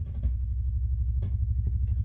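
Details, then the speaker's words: 1967 Fender Showman tube amp with all controls at zero: a deep, rapid putt-putt throb pulsing steadily with nothing playing, a massive oscillation (motorboating). A broken ground is suspected but not confirmed; the vibrato is ruled out. "We have a massive oscillation. That sounds like a broken ground almost."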